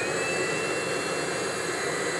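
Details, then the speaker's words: Webasto water coolant heater on a DIY replacement controller ECU, started with a 12 V trigger: steady even rushing fan with a faint high whistle as it clears the chamber and primes before glow plug on; normal startup purge. "and it's doing a thing where it's cleared the chamber primed and gold plugs on is it yeah"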